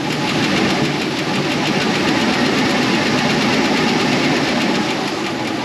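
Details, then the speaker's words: 2004 Chevy Express 4.8 V8, cold: light, uneven tick over steady idle from sticking lifters, fading as temperature rises and gone after about 7–10 minutes warm; cold-engine ticking. "Entonces se golpea pero cuando calientan ya toman su su resorte la función que tiene que ser y ya no se escucha nada de [Música] ruido de este lado se escucha menos cuando la temperatura esté ya nivel ya no se va a escuchar bien el"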